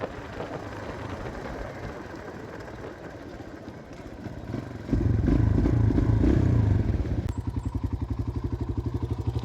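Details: Kawasaki KLX150 after new cylinder block, new carb and CDI socket loose-contact fix, after road test: steady single-cylinder thump about four beats a second, even with no misses or clatter; healthy idle.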